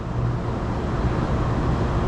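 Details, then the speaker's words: Large Trane unit after condenser motor replacement: the blower motor ramps up from about 17 Hz toward 25 Hz as a deep, even rumble with no knocking or squeal; normal spin-up. "oh that's the blower blower motor starting to ramp up so 17 Hertz"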